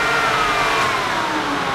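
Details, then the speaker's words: 1949 Chevrolet Gasser after tilt front end install, main fan on plus auxiliary fan (185° temperature sensor) forced on by grounding: steady even whoosh, faint whir drifting lower, no rattle or scrape; both fans running normally. "so the uh main fan runs and the auxiliary fan runs"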